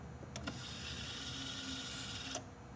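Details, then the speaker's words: 2004 Chevy Tahoe 5.3 flex-fuel (VIN Z) during a fuel pressure test: the pump is commanded on by scan tool with key on; once pressure reaches about 48, sharp relay clicks switch the pump hum on and off; the fuel pump relay is cycling normally. "what you're hearing over what might be on your right side is the relay"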